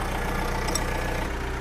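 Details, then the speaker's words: John Deere 310G backhoe diesel, abandoned and long-troubled, now running on its own power after repair: steady, even low idle with a firm regular beat, no knocks or misses; healthy normal diesel idle. "It's running. It's running on its own power, man. I can't believe that."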